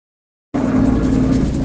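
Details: Caio Apache Vip IV bus on an express route: steady, droning mid-pitched hum over the running bus, typical of a worn differential roaring under drive; differential whine.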